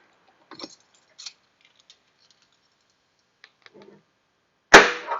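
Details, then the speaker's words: Stuck trunk latch after working the mechanism: a few faint clicks, then one sharp metallic clack as the latch pops free cleanly; normal release. "nice. Perfect. Pops right off the latch."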